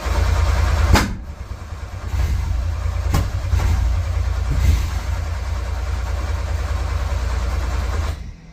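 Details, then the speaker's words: Metro GTI race car on standalone management, jump battery wired to the starter, a little throttle: steady starter churn with a few brief catches and bangs about once a second, never picks up and runs; hard starting. "Right, that should be firing up a lot easier than that."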